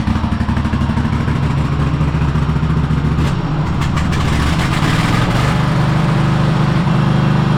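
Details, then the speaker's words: Cub Cadet Super LT1554 lawn tractor, 27 hp Kohler V-twin, 500+ hours, after head gasket replacement and new oil, fuel and air filters: uneven hunting beat rising and sagging; runs rough, owner guesses carburetor needs cleaning. "All right, well, it's not running the best. Um you know, it probably needs a carb clean my is my guess."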